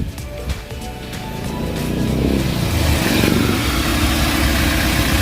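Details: 2007 Toyota Altis with a hard-starting problem (needed two starts; fuel pressure dropping), after fitting a new fuel filter: engine catches and climbs to a steady, even run with no misses or knocks under background music; fuel pressure holding stable, normal running.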